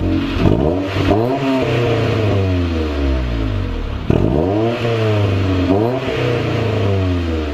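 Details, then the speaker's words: Honda CRX with eBay Spec-D catback after adding a Vibrant 2.25in muffler and small bottleneck resonator before the axle-back, original resonator kept: smooth rising and falling revs, deep even exhaust note with no rasp, drone or rattle. It sounds really clean. "And you guys heard it right now. Sounds really, really clean with the extension of the..."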